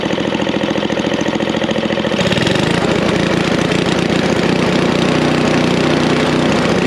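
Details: Snapper I 422 snowblower with the idle circuit already tuned: choppy two-stroke putter that smooths and rises about two seconds in as the throttle opens while the main jet circuit is adjusted.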